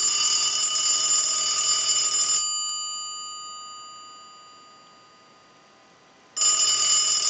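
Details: Brass elephant telephone under repair checkout, ringing was one of the reported issues, ringer driven from an analyzer: bright, steady metallic ring for about two seconds, pause, then rings again cleanly; bell strikes strongly and evenly, normal ring.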